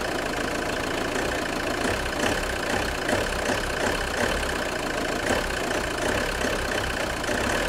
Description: JTD 105 weird creaking noise when engine is cold.